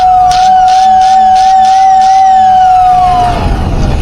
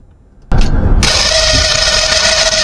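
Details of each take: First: 86-year-old Lionel whistle, after oiling both motor shaft ends, brushes uncleaned, relay jumped: a strong, steady whistle for about three seconds, then sliding down as the motor spins down; it works clean and healthy. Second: Lionel whistle with frayed wiring, motor checked by activating the relay: the small motor spins up into a harsh, gritty whir with a steady high whistle over it; the motor is dry, unlubricated for a very long time.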